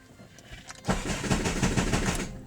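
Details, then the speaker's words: Honda Civic with the key light flashing: the starter spins the engine evenly at about five compression beats a second, but it never fires. Crank, no start; the immobilizer is blocking the start because of a dead key battery. "So no matter how many times you crank it, it's not going to start."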